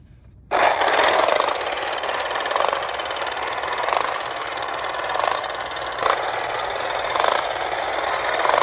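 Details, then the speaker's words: Late-1960s/early-1970s Remco Tiger Cat toy jeep after a shifter repair locks the clutch dog: buzzy motor and gear whir with a soft bump about every 1.5 s, holding low gear; normal running. "Okay, so this worked beautifully. That works as intended."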